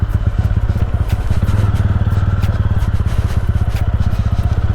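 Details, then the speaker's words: 2025 TVS Ronin 225 single-cylinder motorcycle, owner addressing gear shifting and gear sensor issues; pulling away in first gear with steady even thump, regular firing, no knocks or misses. Normal running in first gear. "बहुत आराम से भाई हम अपन जा रहे हैं। कोई दिक्कत वाली बात नहीं है। कोई दिक्कत वाली बात नहीं है।"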